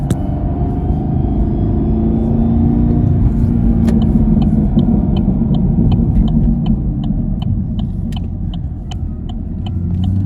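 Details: Camaro SS manual transmission, bought from dealership (dealer called it clutch): loud mechanical whine like parts sliding against each other, heard under acceleration in first gear; whine present first through third, worst in third, silent in fourth.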